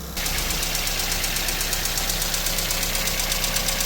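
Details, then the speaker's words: Cold idle of a Hyundai Accent (Verna) with a rapid, even metallic valve tick that fades once warm; with low compression, an overhaul is needed to seat the valves. "En este caso, el cliente nos dice, "Solo le suena cuando está frío." Nosotros esperamos a que el motor se enfríe y simulamos lo que el cliente nos dice. En este caso, lo que le anda sonando ese carro son válvulas."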